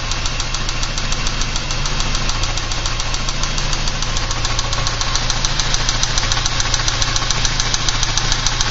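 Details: 1986 Porsche 944 Turbo idling with a steady, sharp ticking knock about three to four beats a second; owner unsure whether lifter noise or rod knock.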